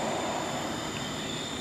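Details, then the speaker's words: Old Brute air compressor after its run up: steady hiss with a faint high whistle continuing after the motor stops; the unloader valve still leaks even after the check valve and a replacement unloader were fitted. "Apparently China failed that test. It's still leaking. I certainly hear it"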